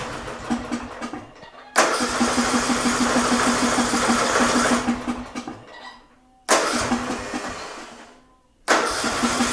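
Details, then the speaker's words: Murray Select riding mower with a 13.5 hp Briggs & Stratton single, choke held shut by hand: runs rough, its speed swelling and sagging, cutting out and restarting more than once; surging idle from remaining carburetor issues, though it now stays running and no longer smokes. "So it runs now. Definitely got a surging idle. We still have some carburetor issues, but before it wasn't staying running."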